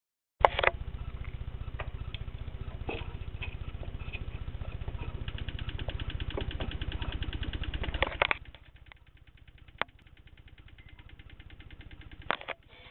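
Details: Toyota Corolla All-Trac, 4A-FE 5-speed manual that won't start; with diagnostic terminals T and E1 jumpered, fast continuous clicking, thought to come from the starter, with no cranking, quieter partway; starting-circuit fault suspected, unconfirmed.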